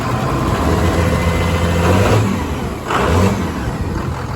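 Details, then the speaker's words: Ford F350 diesel with 24-valve P-pump conversion, 4K governor springs and AFC Live, after injector failures from contamination, one injector likely still needs replacing: steady idle after start with one brief rev blip and no obvious miss; starts really well. "Things weren't plugged off right. So we had some injector failures. Starts really well."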